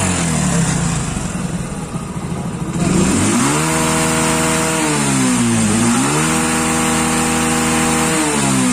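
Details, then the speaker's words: Hero Splendor Plus single-cylinder at full throttle off load: revs up and falls back twice with steady, even firing and no misses or jerks; the miss appears only under riding load, topping out near 30 km/h. "So you hear the sound of the engine When we give a full Accelerator inside the bike No missing or jerks on the bike"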